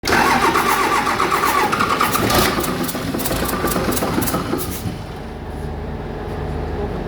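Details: Doosan excavator diesel after overhaul: cranks briefly, catches with a loud rush, then settles into a steady, even idle with no knocks or misses; sounds healthy.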